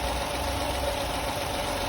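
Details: 2019 Fiat Argo that was whistling and misfiring with a fouled third-cylinder plug, after the valve-cover diaphragm was replaced: even, steady idle with a smooth hum and no whistle or hiss; normal idle.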